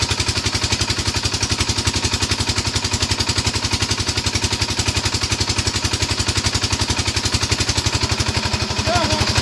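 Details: 5hp single-cylinder diesel engine with a steady, even thump at about four firings a second and no knocks or misses; it sounds healthy.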